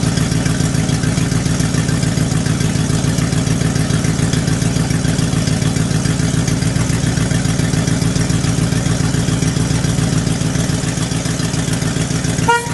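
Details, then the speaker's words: 1975 International 200 3/4-ton 4x4 pickup on a cold start, about 35°F at 7 a.m.: loud, raw chuffing at about 3.5 pulses a second at idle. Almost no exhaust is left and what remains is falling away from the manifold. "what you could hear when we started it up the truck has a virtually no exhaust left on it uh what is there is falling away from the manifold so the exhaust is completely unusable"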